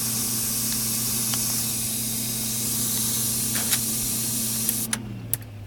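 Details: DFI LANPARTY UT nF4 SLI-DR Expert socket 939 motherboard: a steady high hiss over a low hum, both dying away as power is cut. The hiss comes from the board; cause unknown.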